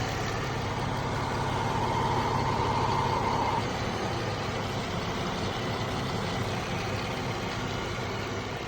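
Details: 2014 Jeep Wrangler 3.6 Pentastar at steady idle with a light, even tick about three a second; owner asks whether rocker arm or valve tick, valve train suspected, unconfirmed.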